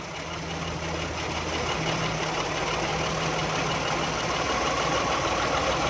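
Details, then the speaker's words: Daihatsu Charade 1000 cc on CNG, after fitting a new valve to fix long hard cranking: gas adjustment screw slowly loosened, steady smooth idle drone rising in pitch and loudness as rpm climbs. "हल्का हल्का आपने इसको लूज़ करना है। ये देखें इंजन के आरपीएम बढ़ रहे हैं।"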